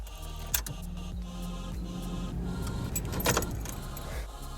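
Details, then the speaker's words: VW Polo 9N3 GTI, newly installed high-flow fuel pump after replacing the worn factory pump, key turned on: low steady hum for about two seconds, the little whining of the fuel pump priming normally. "It should prime the fuel pump, which you'll hear go ee, you know, like a little whining noise."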